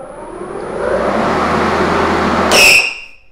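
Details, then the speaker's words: Makita 18V LXT battery lawn mower, about 2 years old: steady motor hum, then a sharp half-second high screech every time the motor is stopped; owner suspects the electric brake is failing. Mower also sometimes won't start with handle depressed, owner thinks cable stretched. "also of course the mower is not perfect it does make this really weird sound it's the electric brake is starting to I think fail"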